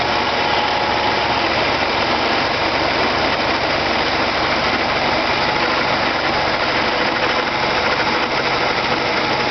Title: weird noise from tranny area